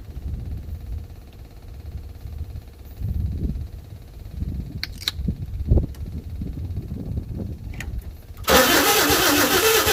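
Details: 1952 Chevy with new Autolite plugs, carburetor filter off, gas poured down the carburetor: slow, uneven cranking bursts that never catch, then a loud hiss at the end. It cranks but won't start; the owner suspects low compression from seized rings and a weak fuel pump.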